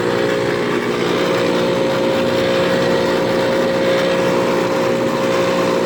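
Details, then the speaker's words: 1997 Ruud AC condenser, 27 years old: loud steady roar with strong hum, audible from about 25 feet; condenser considered worn out, excessively noisy. "I don't get why it's so loud. It's already done. It's a loud unit. I can hear it all the way up from over here, like 25 feet or something."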